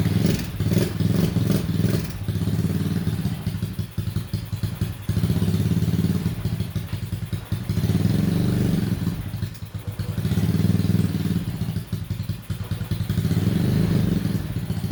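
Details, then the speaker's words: Honda Ruckus after replacing the failed fuel pump with a new OEM Honda pump and priming to the carburetor: steady single-cylinder putter, even low beat, no misses or hesitation; normal running after repair. "Well, she's back to running now. The fuel pump was the problem, and luckily, super easy swap, especially in my case, because this is all open."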